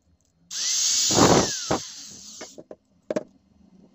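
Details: Old angle grinder after repair with brushes cut to size from spares: the motor spins up to a steady high whine with no rattle or grinding, then coasts down smoothly, normal running.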